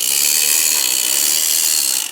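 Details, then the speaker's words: Restored plastic Minic wind-up toy Morris Minor, clockwork motor running: harsh, high, rapid ratcheting clatter from the gear train; noisy but runs, cause unknown. "It makes a bit of a weird noise. Listen to that. What a racket."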